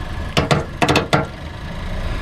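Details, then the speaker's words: 1988 Ford F-250 460 V8, C6 automatic, 4WD, sat in a field a decade: starter relay jumped, five sharp clicks with no cranking, starter not turning. "I can hear it clicking the relay, but it's not turning the starter yet."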